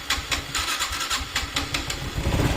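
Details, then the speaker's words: Honda Wave 110i: repeated cranking without firing, very hard starting, unstable idle and hesitation; fuel pump, injector and spark plug changed without cure, compression feels low, diagnosed as faulty throttle body MAP sensor. "เนี่ยครับเร่งได้ปกตินะครับแล้วก็เอ่อเสียงตัดอะไรช่วงปลายๆเนี้ยปกติเลยแต่ว่าSLโลว์ไม่อยู่นะครับแล้วก็ติดยากมากอันนี้คืออาการของเค้าเลย"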